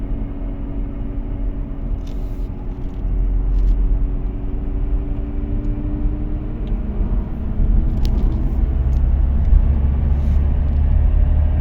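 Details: Audi A4 B8 Avant: deep, steady droning rumble under the car that swells with road speed, a worn wheel bearing, later replaced with an FAG wheel bearing repair set.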